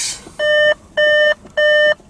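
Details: Audi Q7, mileage 176,000, ignition on: four evenly spaced high-pitched half-second beeps with flashing warning light, the air suspension fault chime; the fault is traced to the air compressor; customer also reports the radio coming on with the key.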